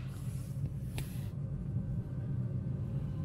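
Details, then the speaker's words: Range Rover Sport L494 fuel-burning park heater (Webasto T90/T91) started by remote fob: relays click, then a steady low even rumble of exhaust heard from under the car as it lights; heater working normally. "whoa yeah if you ever listen down here you can hear it exhausting we can't see it exhausting so there we go that's the park heat working"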